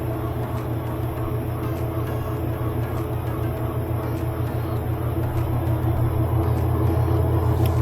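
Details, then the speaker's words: Kenmore 70 Series Whirlpool direct-drive washer won't spin: motor drones and labours at an even beat without building speed, something dragging; found a blockage in the water pump creating the drag. "There's something dragging. I think it could be in the transmission. I just can't see how. Yeah, there's something dragging. I think there's something stuck under that tub. Seems like you could hear it."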